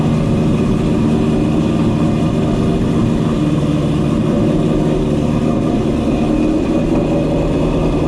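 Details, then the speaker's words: Ford GT500 supercharged V8 back home after a long road trip, with a vibration and rattle found and fixed: deep, steady burble with a faint blower whine on top, even and unbroken, a healthy smooth idle. "Chopping good, sounds good. Pretty stoked about how this whole thing is working out. Just a damn good sounding car, you know what I mean?"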